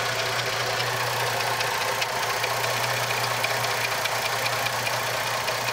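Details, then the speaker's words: 2004 Jeep Liberty Limited 3.7L after replacing both valve covers for an oil leak: a steady, even idle with a smooth low hum and faint light top-end patter, no misses or knocks. No leaks; brief initial smoke from the valve cover work. "all right guys so overall it's it's running great there's no leaks anywhere"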